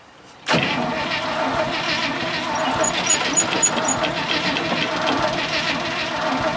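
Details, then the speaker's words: 1966 International ACCO truck petrol V8, long-sitting, stale fuel, spark unverified: starter churns steadily at about four beats a second but never fires; owner suspects flooding and notes these are always hard to start. "Give her a rest. They've always been a bastard thing to start these. Any of them I've got are anyway. I think she's flooded."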